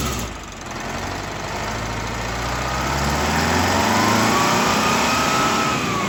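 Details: Detroit Diesel bus engine after blower replacement and full tune-up with injector timing reset on both banks: deep, even drone building smoothly as idle set just over 600 rpm, no knocks or rattles.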